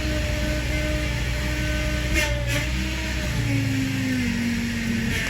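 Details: Engine running during power steering bleeding with a vacuum pump: a steady whine that shifts as the wheel is turned lock to lock, from air in the system. It quiets over ten lock-to-lock cycles.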